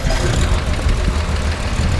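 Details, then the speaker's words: 1963 Ford F100 Custom Cab pickup, just fired up; deep steady low rumble at idle, no knocks or misses; runs real smooth; normal idle. "real smooth it does shift nice"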